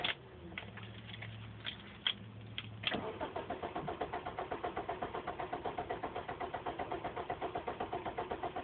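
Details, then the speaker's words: Car that sat parked since 8 a.m., normally starts instantly, cranked while giving gas: a few clicks and short tries, then slow churning at two to three beats a second without catching. An odd clicking from the rear was heard earlier. It eventually started. "I'm giving it gas. Nothing happens. It just won't turn over."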